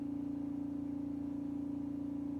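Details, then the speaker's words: Refrigerator running: loud steady mid-pitched hum with faint even pulse, no knocking; stops when the door opens, starts when it closes; owner suspects a compressor problem. Loud humming noise. "This is the sound coming from the fridge. You'll see when I open the door, it stops. When I close it, it starts."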